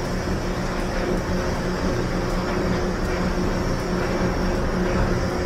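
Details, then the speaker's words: LG dryer after replacing the worn-out, noisy drum rollers: steady even rumble of the drum turning with no thumping, squeaking or scraping; the drum now rotates smoothly and quietly. "no more irritating noise on the dryer. It's all smooth now."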